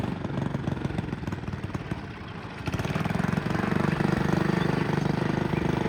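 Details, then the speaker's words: 1959 McDonough T-10 Tin Lizzie go-kart small single-cylinder engine, driving under load: labors and dips, nearly stalling at moments, seemingly on sharp turns, then recovers; engine struggling under load. "It sounds like it's struggling a little bit at times. So, what do you think? Pretty cool. It sounded like it almost stalled a few times."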